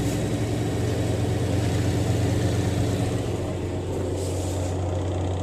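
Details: Voltas 7 kg washing machine after spin motor repair, spinning water: steady, even low hum of the spin motor with no knocks or scraping; spin runs smoothly and normally.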